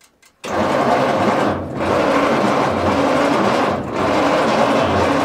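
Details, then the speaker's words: 1940s Bay City Model 30 cable crane/dragline engine, unused over a decade: laboured slow starter drone dipping each revolution, not firing; 6-volt system won't turn it fast enough, starting fluid suggested. "Starting fluid would help. Huh? Starting fluid would help. It just don't turn fast enough for 6 volts."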